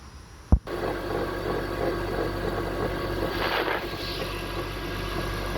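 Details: 2002 BMW 325i at idle: steady low growl from the engine bay that goes away on acceleration and persists with AC on (not the AC compressor); power steering fluid found low and suspected.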